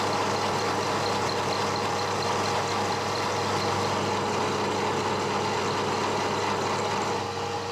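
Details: One-inch slot drill milling cast iron, slowed from about 500 to 200 RPM. Steady spindle hum with an even cut and no chatter or squeal. Smooth milling cut.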